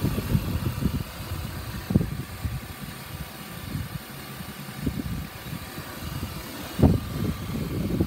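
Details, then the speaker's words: 1999 BMW E36 328i automatic convertible, bonnet open, engine bay dry; quiet smooth six-cylinder idle, soft steady hum without vibration, knock or tapping, motor mounts good. "nice and dry ey exactly what you want to see no vibrations your motor mounts are"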